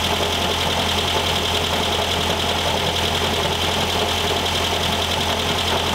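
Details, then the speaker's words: 1973 VW Thing type 181, sat for years, first runs after revival: steady idle drone with constant dry rattle on top; owner feels a foreign object lodged in the cooling fan housing and plans to remove the belt. "definitely it's in that fan I can feel it so let's take that uh let's take the belt off"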